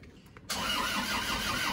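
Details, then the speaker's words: Isuzu Panther pickup diesel, reassembled after blow-by smoke from dipstick and oil filler after an oil change: cranks briefly, catches roughly without settling; injection timing too retarded, causing hard starting, then advanced. "Oke, sudah jelas kemunduran ini. Kita coba lagi baru saja kita majukan yuk."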